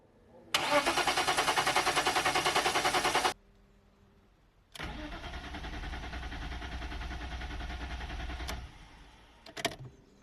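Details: 1998 BMW E39 520i single-VANOS that previously ran very rough: steady, even cranking at about eleven beats a second for three seconds with no catch, then a second long crank, still not firing (54 psi measured after). Crank, no start.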